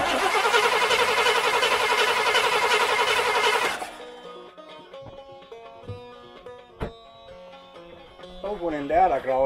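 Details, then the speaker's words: Rambler starter grinds the engine over at a steady rhythm for several seconds without catching. Owner suspects the linkage isn't opening fully to work the accelerator pump, or possibly no gas after sitting over winter. "okay I think it's happening here is I think we're not for that puddle this thing isn't going open all the way like way back to there and that's what works the accelerator pump and they go gas down and there to give it to her"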